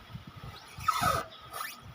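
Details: Honda Pilot while driving: short, high-pitched chirping squeaks in bursts as the body moves, with no engine noise; the suspension bush is completely worn out, and replacing it should stop the noise.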